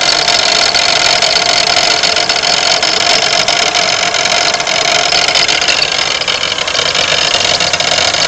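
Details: 1992 Pontiac Grand Am 3.3 at idle: a harsh, gritty metallic grinding rattle over the engine hum; owner suspects the harmonic balancer, not confirmed.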